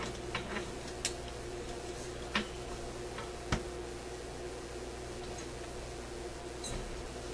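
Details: Electrohome AM clock radio after reassembly: low steady hum with a few soft, irregular ticks and no grinding. The clock motor runs quietly and normally.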